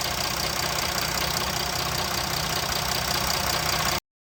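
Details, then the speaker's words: Jeep Grand Cherokee 3.0 CRD (Mercedes diesel) started after fuel filter replacement, system primed by cycling ignition ten times: even diesel clatter at steady idle, no misses or odd knocks; runs without issues. "Now 10. And it runs without any issues."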